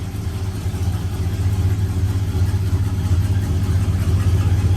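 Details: 1970 Plymouth Road Runner V8, revived after sitting over 25 years: deep, steady burble with an even low pulse and no knocks or misses; idles smoothly and sounds healthy.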